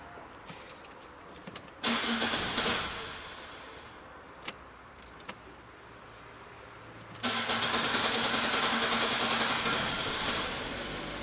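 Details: Fiat Punto started after repair work and adaptation resets: key clicks, then a quick crank catches promptly and settles into a steady idle; the second start fires just as cleanly, normal engine start.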